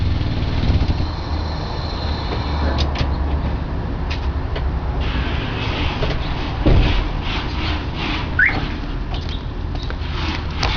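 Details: Honda Prelude with a deep, uneven exhaust rumble and scattered sharp puffs and ticks from an exhaust leak at the muffler, which later fully rusted apart.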